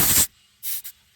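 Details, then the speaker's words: 1967 Chevrolet C10 short-bed stepside two-wheel-drive revival, airing up a worn tire: short sharp bursts of rushing air with quiet gaps; tire is off the bead and won't take air while the truck sits on it. "sounds like it might be off the bead that guy's off the beat so it won't take any air at least not why it's sitting on it"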